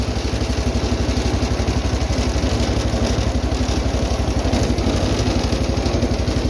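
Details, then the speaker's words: 210 lawn tractor after carburetor rebuild (leaking bowl gasket), air filter on; started without choke on slow throttle for the first time. Steady four-beats-a-second thump, even and unhurried; clean healthy idle, much better than before. "It's the best it's ran on slow throttle too. A lot better than before."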